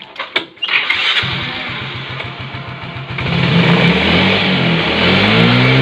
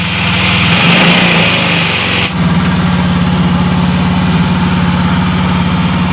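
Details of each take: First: Normal idle of a Yamaha Mio J scooter after fixing high, self-rising idle by replacing the crumbled sensor gasket seal with a thicker one: fires up and settles to a steady, even idle with no hanging or climbing revs. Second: Automatic scooter whose idle rises by itself and stays high even after throttle adjustment: steady fast idle that never settles to a slow tick-over; high idle from a worn, broken throttle part that needs replacing.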